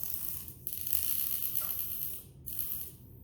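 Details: XK K130 RC helicopter after a crash, checked in a pitch test: short raspy grinding bursts with gaps as a servo sweeps, skipping at one spot; a stripped servo gear (two of the three servos had broken gears).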